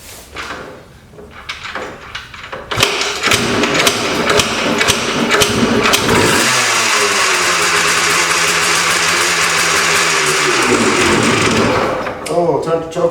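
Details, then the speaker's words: About 1995-96 Yamaha RT180 two-stroke dirt bike, new spark plug and fresh gas, started on choke: several kicks, fires and buzzes about five seconds then sags and dies; choke taken off too quickly suspected. "took the gas off too fast. I mean, not the gas, but the choke."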